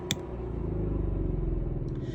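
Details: 2022 Thor Four Winds motorhome onboard generator running: an even low rumble with steady, quick firing pulses and no knocks or misses. Normal generator running.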